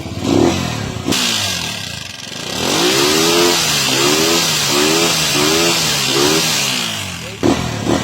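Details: TMX motorcycle engine after gasket work, earlier noisy with a badly worn cam follower: repeated blips with the exhaust note rising and falling cleanly, no valve clatter. Normal engine revving, no top-end clatter.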